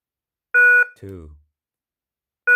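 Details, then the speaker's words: KERUI wireless security alarm base being plugged and unplugged five times to add a motion sensor: two identical short electronic beeps about two seconds apart, entering sensor pairing mode. "so I'm gonna plug and unplug five times"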